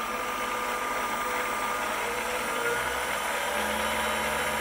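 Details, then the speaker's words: PM-728V-T mill spindle at maximum speed, about 4375 rpm: smooth, even high-speed whir, quiet with little felt vibration and well balanced; normal spindle run. "it that's wide open that is max max speed it's pretty quiet in the vibration I put my handle on it I don't feel much it's well balanced so"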